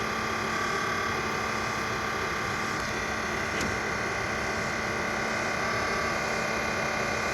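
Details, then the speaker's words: Tesla A/C compressor, between windshield and front beneath battery and coolant reservoir, running on low and still cooling: steady whirring hum with rough, fast chattering rattle; owner suspects failing compressor bearings, not confirmed. "my suspect my suspicion is it's the bearings in the compressor that are on the way out and you don't want them to fail right now"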